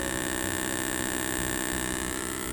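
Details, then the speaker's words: Votre CRT TV with a dark raster: a steady low growling buzz from the speaker, caused by cracked solder joints and a failed audio IC. Resoldering the cracked areas and replacing the CDA22003 IC restored normal sound and picture. "ada suaranya di speaker ngorok dan solusinya kita sudah berulang untuk daerah-daerah yang retak ya kita ganti ic-nya IC cda22003 ya dan TV sudah normal kembali"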